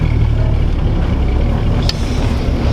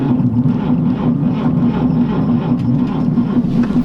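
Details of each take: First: 1949 Chevy 3100 with Jasper replacement straight-six on a 6-volt system, cold January night, about 24,144 miles on the odometer: deep, even rumble with steady beat, no knocks or ticks; great oil pressure, engine sounds healthy. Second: 1949 Chevy 3100 six on a 6-volt battery, choked cold start on a January winter night. Sluggish, low rumble as the starter turns the engine over: slow cranking.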